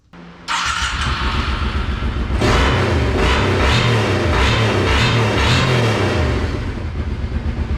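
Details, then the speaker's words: Small engine from a four-wheeler, in a golf cart build, after a fuel pump replacement and the idle turned back down, with the choke off: smooth steady idle, even firing, no misses or hunting. "so I just went and turned the idle down and as you can hear now it runs perfect"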